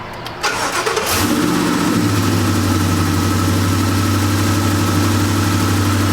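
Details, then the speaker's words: Ford F-150 Raptor V8 after replacing coil boots for a knock-sensor circuit code caused by spark jumping to the block: brief crank, clean catch and smooth even idle with no misfire, running on all eight. "I do not hear a misfire. Sounds like we're running on all 8. Nice, sounds good."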